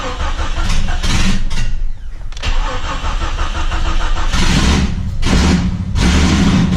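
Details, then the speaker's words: Jeep XJ that runs smoothly but won't hold idle, held just under 1000 rpm: engine catches and revs unevenly on throttle, sags and cuts out when the pedal is released; owner suspects the exhaust/O2 sensor setup, cause not confirmed. "as you can see right there right off the bat it will not idle see I got it down right below a thousand right where it should be idling and it won't"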